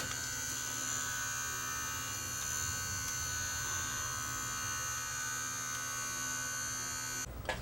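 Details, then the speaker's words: Sony DCR-TRV530 Digital8 camcorder playing a Digital8 tape at 4500 RPM drum speed, playback fine; thin steady high-pitched whine over a hum; bearing suspected, but the head drum is rubbing on a low cassette lid. "so you can really hear it screaming the unit's playing fine"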